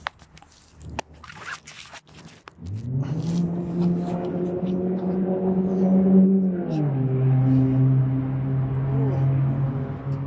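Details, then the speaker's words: Small pull-start engine (coil pack and carburetor) cranked for the first time after repairing its pull cord: quiet for a moment, then it catches and settles into a steady, even hum that drops slightly, starting cleanly and running fine. "So let's see if I had any luck with this repair, and let y'all watch me crank it for the first time today after repairing the pull cord."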